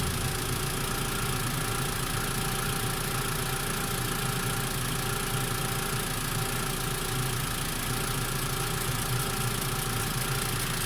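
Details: Mitsubishi MIVEC engine idling after warm-up, steady idle with a constant faint ticking over the hum; an abnormal noise appearing once warm, exact source unclear.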